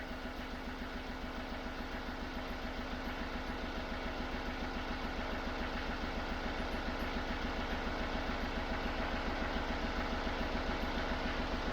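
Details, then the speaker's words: Chevrolet Tracker idling warm: a steady, slightly lumpy beat of about three to four pulses a second. The head gasket is blown, and the engine module may be compensating; air mass/temperature sensor faults were also logged. "nós temos uma junta de cabeçote estragado então de repente o módulo está tentando compensar alguma coisa no funcionamento do motor"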